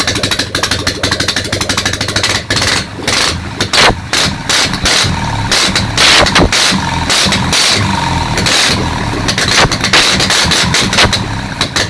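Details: Ural motorcycle engine on its first start after a major overhaul, run on only one carburetor. A loud, ragged twin fires unevenly with gaps and stumbles.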